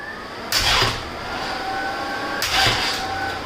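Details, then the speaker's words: Pontiac with a 40-year-old ignition switch and an engine that sat over winter; electric cooling fans are wired off a key-on signal that cuts out while cranking. A steady fan whoosh drops away as the starter cranks, then recovers. Fans cutting out during cranking, as intended. "And this is the perfect signal wire because when you turn the key on, the fans are on right away. But while you crank it, they shut off."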